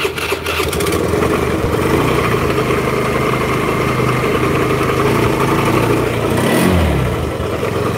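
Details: Black Honda Beat scooter with a clunking-engine complaint, earlier rebuilt with a new conrod but the same crankshaft: catches and settles into a rough, uneven clatter low in the engine; crankshaft bearing knock.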